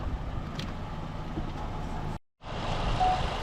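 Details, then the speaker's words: Used SsangYong Tivoli under pre-purchase inspection, engine running with the mic at the open engine bay: smooth, steady, even low idle drone with no mechanical tapping or whine; normal idle, no problem. "지금 엔진 소음을 들어보시면 일정을 하고요. 전혀 이제 문제가 없다라는 게 아마 보여주실 것 같아요. 일단 일정한 패턴이고 어떤 기계음이라든지 특별하게 어떤 소음이 들리거나 그러진 않습니다."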